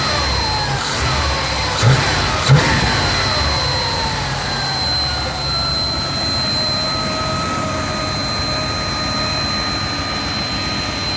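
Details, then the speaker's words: 1991 Chevy K3500 4x4 dually with a 454 (7.4L), warm after a drive, following a tune-up with a new distributor, air cleaner off: settles from a rev to idle with a clear whistle that drops in pitch. It is an intake whistle of unknown source that seems not to occur with the air cleaner on. "a little bit of a whistling noise not quite sure what that is doesn't seem to do it when the air cleaner is on so i'm not terribly worried"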